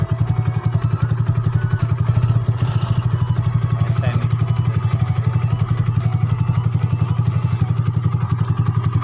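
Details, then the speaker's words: Yamaha Mio bored up to 150cc with new block and bore, fresh rebuild: even low thrumming idle about four beats a second, a touch uneven; may get rough when hot because it still needs break-in; otherwise smooth. "Oke Mungkin Nanti kalau udah panas juga agak kasar Biasanya karena tahap endrayen ya karena blog baru maksudnya boringan baru Shaher baru dan harus Dien rayon dulu"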